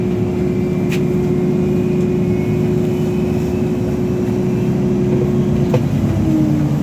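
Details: TTC Orion VII NG diesel-electric hybrid bus: steady mid-pitched weird buzz held evenly over the running drone, dropping slightly near the end; odd electrical buzz, cause unclear.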